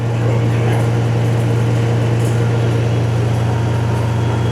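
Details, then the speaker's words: Vacuum truck pump at low revs building pressure slowly, dump (knuckle) valve starting to whistle: even low drone, no knocks or rattles; normal vacuum pump operation. "You'll hear your dump valve or knuckle valve, they call it, start to whistle a bit. That's it going down now. It's building pressure. Building pressure."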